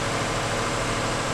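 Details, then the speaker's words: 2006 Toyota Sienna 3.3L V6, first start after engine replacement (original trouble traced to the plastic thermostat housing/upper radiator pipe): smooth steady hum with a soft even hiss, no ticking or knocking; idles cleanly and sounds healthy. "okay so the engine runs good sounds good"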